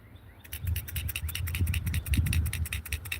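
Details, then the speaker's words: Carburetor for a YD100cc motorized bike being shaken by hand: quick, light rattles about four per second. The float moves freely and is not seized; the carb is a little dirty. "y'all hear that that means the float is working if you don't hear that it's seized up inside"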